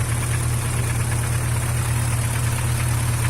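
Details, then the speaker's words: Chevrolet Vectra engine at cold idle, before applying Motorkote 100 additive: loose, uneven light tapping under a steady drone; noise happens only when cold, cause unknown. "Ele só faz isso no frio, galera. Esse barulhinho"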